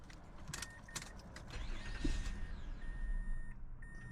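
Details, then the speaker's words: 2005 Mazda 6, code P0335 crankshaft position sensor circuit, EGR unplugged: starter whirrs, engine catches briefly then dies within seconds while door chime sounds; starts and stalls rather than crank-no-start, like a security issue; code suspected misleading. "The car is actually not a crank no start. It like starts and dies."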